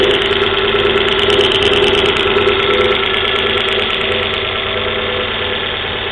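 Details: Volvo V40 1.6 just after a cold start: an uneven ticking, about two per second, over a busy idle that eases as it warms. The timing belt was recently changed and sounds normal; the mechanic places the noise in the middle engine area, cause unconfirmed.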